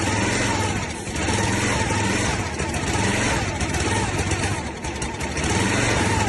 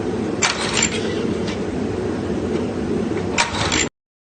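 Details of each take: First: Log splitter's small single-cylinder engine, sitting about 5 years, running on brake cleaner after a carburetor rebuild: rapid, slightly uneven beat with a few dips, but firing steadily. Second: Free log splitter engine that sat about 5 years, having briefly run: steady cranking churn with a couple of brief catches that never pick up. It tries to fire but won't start.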